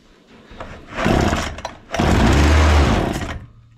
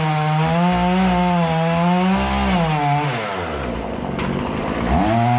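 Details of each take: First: Husqvarna 236 chainsaw that stalls when the throttle is released, test run after refitting the carburetor, choke on: two short bursts of running, then the engine fades out each time instead of holding idle; stalling at idle. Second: Husqvarna 236 chainsaw after carburetor removal, service and adjustment for stalling at idle when throttle released, test cutting wood: strong steady two-stroke howl bogging briefly into the cut, recovering cleanly; normal cutting under load.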